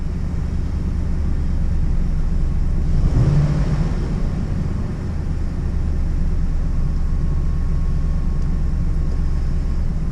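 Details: Ford F-150 with a dead-skip misfire and P030X codes, idling after the original Motorcraft coil was swapped to cylinder five to see if the fault follows: deep V8 idle with uneven stumbling lope.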